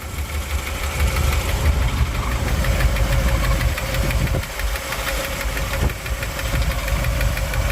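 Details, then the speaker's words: 1959 Chevy El Camino V8 (305 heads), after repairs, hot, exhaust pipe holed and steaming, oil in the coolant, burning coolant: heavy, dull, uneven knock at idle over a deep rumble. Owner blames the heads; knock cause unclear. "We got a knock in the motor again."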